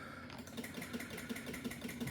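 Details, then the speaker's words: 2025 Can-Am Outlander 700 Rotax, lost power while riding: pressing start gives a fast even chatter of clicks, about ten a second, dash lights flashing, no crank; battery at 10.9 volts, too low to crank. "I don't know if you ever seen this before, but uh lights are going flashing. Click, click, click. Was a little battery signal on before."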